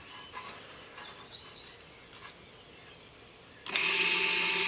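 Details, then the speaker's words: Electric parking brake motor on a rear caliper of an Audi A4 B8, powered with reversed polarity after pad and disc replacement without a scan tool: a sudden steady high whine as the caliper winds the piston in and tightens solid onto the disc. "we can hear the motor running now. The caliper is pushing in. And we can hear it just tighten up solid onto the disc there now."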